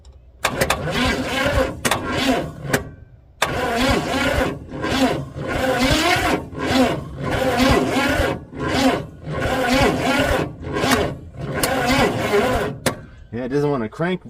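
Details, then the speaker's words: Rat rod with 400 small-block Chevy sitting outdoors 13 years, cranking on battery via jumper cables: slow, uneven starter surges with pauses, engine never fires; no spark seen, distributor points to be cleaned. "that's a no yeah she's still not cranking over very well"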